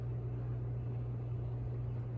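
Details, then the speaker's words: SMC/Galleria 30-inch hugger ceiling fan, new out of box, on high speed in an enclosed resonant spot: steady low motor hum, the quietest of its factory speed settings. "you can kind of hear there's some hum based on the the factory settings this is actually the quietest"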